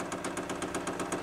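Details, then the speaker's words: Newly fitted Chinese diesel heater with backup battery, priming the fuel line with no burner running: quick even dosing-pump ticking about eight per second over a faint hum, pump priming normally. "oh finally sused it out that's pumping so I'm guessing that's priming it it's doing something"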